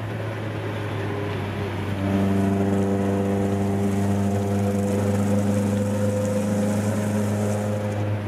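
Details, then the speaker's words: Nissan Gazelle S12 with cannon muffler, under load at 3300 rpm in third gear: deep constant booming cabin drone, worst below about 3000 rpm, sounds alright once on song; exhaust drone. "when it's lower than like 3000 rpm it's so droney it just sounds like really that sounds a bit there too really so that's at 3 300 in third"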